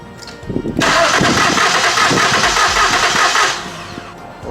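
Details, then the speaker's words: 2013 Ford Taurus Limited 3.5L V6 cranked with fuel pump fuse removed for compression test on the last cylinder of one head, reading 125; about three seconds of steady even cranking; normal cranking during compression test. "okay i'm gonna crank it check the last cylinder on this head"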